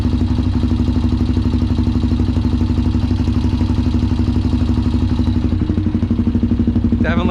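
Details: Honda 400EX ATV that sat for years and was ridden hard, being worked on (carburetor and fuel petcock bought): single-cylinder idle thumping about four beats a second with uneven, stumbling rhythm; misfire at idle.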